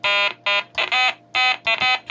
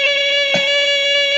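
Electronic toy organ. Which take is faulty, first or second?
second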